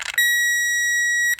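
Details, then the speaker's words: Circuit tester hooked directly to the battery with long leads, checking fuses on a Saturn: one steady high beep just over a second on contact, normal tone; different sounds for ground and power. "But I could go, it gives you a different sound for ground and power."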